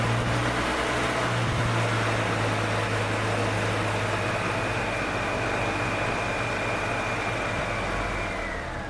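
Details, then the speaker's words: 1997 EZGO TXT gas golf cart, hard starting after sitting, after valve lash adjustment with feeler gauge: small single-cylinder runs smooth and even, steady low thrum, no misses, knocks or smoke; normal running. "That's actually a good sounding engine. That engine sounds good."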